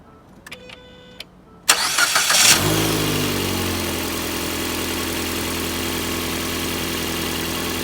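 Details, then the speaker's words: 2017 Ford Fiesta after throttle body replacement, bolts tightened with a 10 mm socket: a few quiet clicks, then a brief crank and the engine catches into a steady, even idle with no knocks or misses, to idle 15 minutes to reset the throttle body controls. "well that sounds pretty good i'm gonna let it run for 15 minutes"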